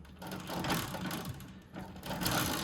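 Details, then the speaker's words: Ariens Deluxe 28 snowblower, unused two years, during maintenance: light rapid clicking as gears are turned by hand; the auto-turn differential ratcheting normally for turning, applying drive when going forward. "This is the auto turn differential. You can hear the ratcheting for turning, but then when you're going forward, it applies pressure, yada, yada, yada."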